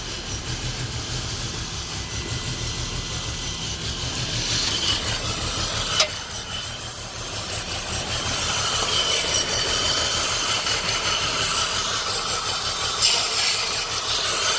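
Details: 2006 BMW 325Ci with code P0300, cylinders 2 and 4 misfiring: uneven, stumbling idle under a loud hiss. Cause is a damaged oil separator not regulating excessive crankcase pressure, not the coils, though coil 2 is weak.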